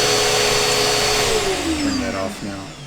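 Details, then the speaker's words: Bissell CleanView upright vacuum model 3536 after repair with a replacement used belt, brush roll spinning and suction coming through: steady even motor whir, then pitch slides smoothly down as it winds off; normal running. "We've got a brush spinning. We've got a new belt on, used belt, but new for this machine. We've got suction coming through."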